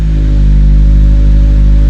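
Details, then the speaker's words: 2023 Subaru VB WRX boxer engine, first start after a Cobb Fast Flash with an ETS catted J-pipe: deep, steady low rumble with even pulses and no knocks or rattles; idling normally. "Oh baby. First start after the flash. Sounds like a Subaru."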